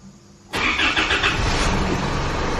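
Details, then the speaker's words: Isuzu D-Max diesel after service including new fuel filter, primed with hand plunger: catches first try and settles into even steady idle, running smoother, no fuel or oil leaks. "Starts. Just make sure it keeps running. Sounds nice."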